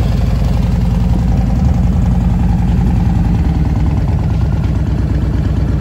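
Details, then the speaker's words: 2002 Yamaha Warrior V-twin with factory big air kit and velocity stacks: deep, lumpy idle holding steady speed, no knocking or stumbling; owner says it runs great with RPM set right. "But like a kid, runs great. RPM set"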